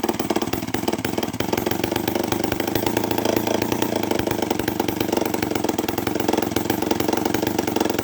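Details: Homelite 500 chainsaw, first test run after carburetor rebuild, Hi and Lo needles set 3/4 turn each, no muffler: loud, crisp two-stroke running steadily with even firing, no stumbling or misses; healthy running.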